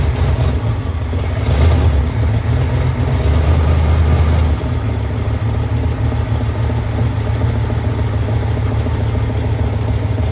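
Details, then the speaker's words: 1978 Ford F-150 plow truck V8, first run after a year sitting, carburetor rebuilt and fuel hose leak fixed: deep uneven, slightly hunting rumble; rough idle, throttle a little sticky, owner suspects vacuum leaks. "the throttle is a little sticky uh and I think we have a few vacuum leaks maybe but I am [Music] complete"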